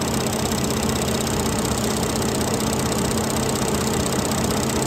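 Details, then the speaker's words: Ford 3.5 EcoBoost idling after rear turbo coolant feed fitting replacement: light, fast ticking chatter over steady engine hum; owner hears the PCV valve chattering and plans to replace it. "And I can also hear the PVC valve chattering, so I need to change that bad boy out too."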